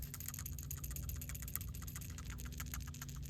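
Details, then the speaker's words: New PCV valve for 2010 Infiniti QX56, shaken by hand: crisp light clicking about six per second as plunger rattles freely, unlike the silent clogged old valve; free-moving PCV valve, replaced over lost fuel economy. "can hear that rattling."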